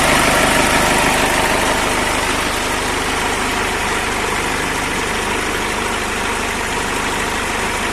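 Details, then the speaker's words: Toyota FD-25 forklift at 500-hour service, engine revved: steady, even roar with no knocks, rattles or squeals, showing no abnormal noise. "Kita coba gas. Tidak ada bunyi berisik lain, tandanya engine starter dan abnormal noise tidak ada."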